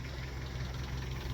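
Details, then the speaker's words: Nissan D21 ute at 491,000 km, cold start on high idle with auto choke, burns about 1 L oil per 5,000 km: steady idle with light, fast rattle; severely worn timing chain, rebuild deferred. "so yes this cam train is severely worn and I've been trying to get it to half a million before I bother about rebuilding it"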